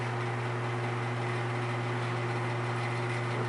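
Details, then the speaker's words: Vintage Arctic Air fan fully reassembled, highest speed, still ramping up: steady even motor hum with smooth air rush, no rattle or scrape; normal running. "so this will be the highest speed right here it's really moving a lot of air it's impressive it's not done ramping up"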